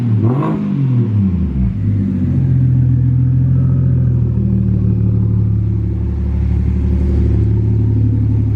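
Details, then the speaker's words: BMW 335i converted from twin turbos to a single big turbo, after a major refresh: a quick rev climbs and falls away smoothly, the turbo winding down evenly with no rattles, a normal turbo spool-down. "You can kind of hear the spool down a little bit when you rev it."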